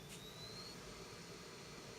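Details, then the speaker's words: iMac G4 with donated replacement hard drive booting off a CD: quiet steady whir with a thin tone rising as the disc spins up; the optical drive is loud but working normally. "Alright, so yeah, so this thing's gonna boot off the CD. And it's making a lot of noise."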